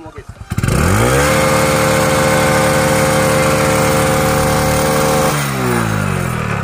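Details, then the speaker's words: Hero Honda CD Deluxe single-cylinder after full engine rebuild (timing chain kit, oil pump replaced), revved slightly to check smoke that previously poured with oil leaking: fires up to steady fast idle, clean even beat, no knocks, no smoke; normal running. "अब इसके smoke को check करते हैं क्योंकि starting में जब हमने इसको देखा था तो यहां से ऑयल निकल रहा था इस तरह से और धुआ भी हद से ज्यादा आ रहा था अब देखते हैं"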